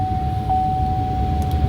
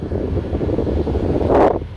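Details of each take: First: 2003 Chevrolet Silverado 1500HD with the engine running: the A/C blower rushes constantly with a steady tone even with the A/C switched off. It keeps running at all times, which can drain the battery. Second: 2003 Chevrolet Silverado 1500HD whose AC blower motor stayed on at all times, heard after the fix with the fuse reinstalled: a steady low rushing airflow holds evenly for several seconds, then shuts off; the blower is under control again.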